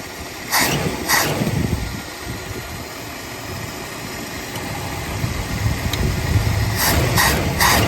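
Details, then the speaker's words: 1980 Mercury Zephyr after carburetor rebuild and bolt adjustment, warming up: steady even low rumble with no misses, a few handling thumps; running better than before, choke adjustment uncertain. "Yeah, she's definitely running a little bit better than before."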